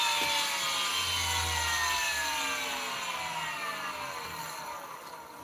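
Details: Nail gun motor on a 6-year-old machine after trigger-contact repair (points bent closer for more spring, starts with lighter trigger pull): clean high whine spins up then coasts down in pitch, no rattles or grinding; motor sounds healthy.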